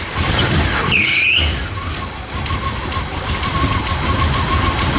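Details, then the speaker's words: 1970 Chevy Camaro Z28 with built 350 4bbl V8 (about 400 hp), headers, dual exhaust, automatic: starter whirs briefly, engine catches cleanly into a lumpy, even cammed idle; sounds healthy. "sounds good. It's got a nice cam to it."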